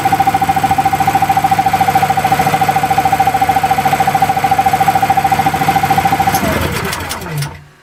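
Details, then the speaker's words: Small single-cylinder engine converted to propane/natural gas with a new NGK spark plug, cold started, loaded by a grid-tie inverter: runs steady and even at about three and a half beats a second, then shuts down cleanly; normal running. "So as you can see from that, it cold started no problem, it ran really well."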